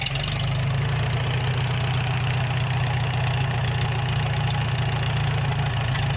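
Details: Farmall H tractor engine bought at auction, after manifold replacement and valve adjustment (previously ran rough with poor compression): steady, even low rumble at idle with no knocks or misses; runs good.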